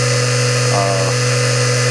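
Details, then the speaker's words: Repaired SBL-40 inverter from a 1960s Nanchang CJ6A, 24 VDC motor with a 3-phase 36 VAC 400 Hz generator. Smooth, steady hum at constant pitch with no surging: the motor holds speed rock solid, normal running. "nice constant signal the motor amazingly uh keeps it steady speed it's rock solid it's amazing being this old"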